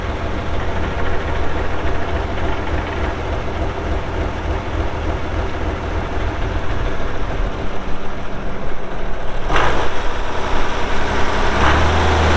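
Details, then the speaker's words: 1967 Oliver 1750 2WD diesel tractor, 80 PTO hp, 5,917 hours, engine block dry with no oil or diesel leaks; low, steady diesel clatter at idle with an even beat, no knocking or missing; normal diesel idle. "As you'll see here in a little bit when we fire it up, it runs out really good."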